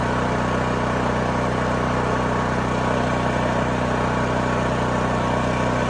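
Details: New Holland Agriculture 6500 W generator, engine freed after seizing from running low on oil; restarted with valve cover back on, spark plug installed, fresh gas, choke pulled. Steady, even drone at constant speed, no knocking or surging; running normally.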